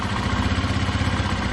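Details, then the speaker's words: 2005 Honda Lead SCV100 scooter, after turning down the carburettor idle screw: steady, even low idle with no surging, and the rear wheel no longer spins since the CVT clutch stops catching; normal idle. "got the idle down. That sounds a lot better than the back wheel isn't spinning"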